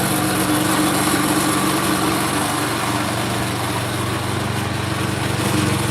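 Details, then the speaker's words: Craftsman snow blower, pull-started by hand after repair of idle circuit issue: steady even full-speed drone with no hunting or surging; runs good. "all she runs good you you can hear here pull started by hand and we're running at full speed no surging no nothing"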